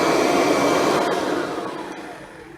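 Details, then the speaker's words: Kirby Ultimate G Diamond Edition bagged vacuum, new at first test run: after the top switch lowered power for surface rugs, it is set back to high speed; a high-pitched motor whine fades and drops away, sounding normal at high speed. "We push it down, it tones down the power for cleaning on surface rugs. Now that's back on high speed."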